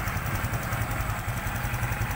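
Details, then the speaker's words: Honda XRM125 FI idling after a general overhaul for oil starvation: new connecting rod, 0.50 oversize piston and rings, new O2 sensor; very quiet engine, even low putter with light steady top-end ticking, injector audible, no heavy knock; normal idle. "Tahimik na tahimik yung makina. Yung under, yung medyo injector."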